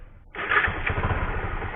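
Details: Bajaj Pulsar 135 motorcycle, previously dead with no ignition and wouldn't start, after replacing a part: brief starter whir, then the single cylinder catches at once into a steady, even idle with a clean, regular beat.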